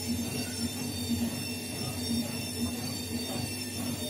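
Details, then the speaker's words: Bosch Maxx 4 washing machine, drum previously not spinning, after repair in spin mode: even steady motor whine with constant low hum, no grinding; motor starts about 30 seconds after launch and runs normally. "có thể nghe thấy động cơ điện hoạt động bình thường nó không được bật ngay khoảng 30 giây sau khi khởi động"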